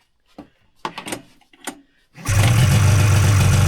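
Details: Two-stroke snowmobile started on full choke at a test-and-tune day: a few clicks and handling knocks, then it catches at once and settles into a steady, even idle with no misfires; healthy start.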